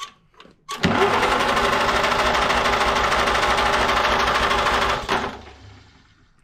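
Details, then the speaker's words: 1949 Farmall C, sat for years, new cap and rotor, spark present, starting fluid sprayed: about four seconds of brisk even cranking at roughly three turns per second, never fires; stuck valves (soaked in penetrating oil) killing compression. "I'm just going to show you here because these valves are stuck. So, I soaked them in some penetrating oil and I got them freed up."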